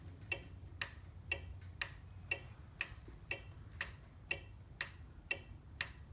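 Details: Overhead Door Model 556 garage opener, nonfunctional: sharp relay clicks about once a second over faint hum; 15-flash code meaning door reads fully open and closed at once; faulty logic board, suspected LM2901N chip.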